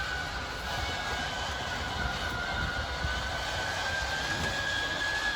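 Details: 2022 Wildwood 28VBXL travel trailer slide-out motors running as the slide extends; an even, steady motor drone with a faint thin whine and no knocks or grinding. Once fully extended the motors whine briefly, then shut off automatically. Normal operation.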